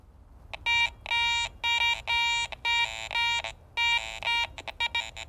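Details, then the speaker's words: Garrett Ace 400i metal detector in jewelry mode with iron audio on, swept over a bottle cap: clear high beeps above the target, broken by low grunts at each end of the swing. Iron audio shows the target contains iron, so it is not a good coin. "If you notice there at the ends of the swing as I pass the target by, there's some grunts on either side of the target. Above it, it sounds pretty good, but coming and going, there's enough grunts going on that I know that target contains some iron."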